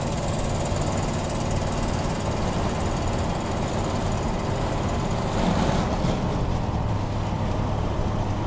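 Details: 1987 Chevy truck V8 running with a loud, rapid, raspy puffing like a lawnmower, getting louder with throttle: major exhaust leak from a busted exhaust pin on the left-side manifold.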